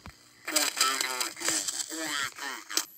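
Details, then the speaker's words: Heathkit GR-81 regenerative receiver tuned to 80-meter SSB with regeneration still at the AM setting. Voice comes through chopped, warbly and distorted because regeneration is set too low for SSB. "and you can't hear it because it's all glitchy and distorted it's not an ssb it's the ssb and this is the am so now we turn the regeneration up"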